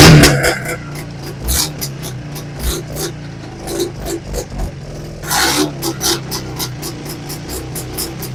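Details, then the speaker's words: Vintage AMF snowmobile, first cold start of the season; sharp start, uneven two-stroke blips settling into a steady running beat, fires readily; normal cold start. "Well, I'm fired right up. And sounds like she's going to run. She wants to go."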